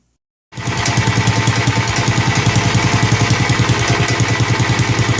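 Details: Snapper Hi-Vac commercial mower, around 1988, with Robin/Wisconsin engine, running after carburetor fiddling: steady, even single-cylinder beat, no misses or knocks; motor sounds good when running correctly, though carburetor leaks and needs a kit.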